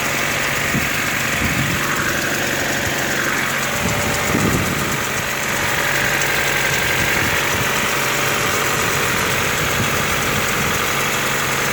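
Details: Honda D14A4 engine at cold start: idle carries a light, uneven knock about four times per second over steady running; source unknown.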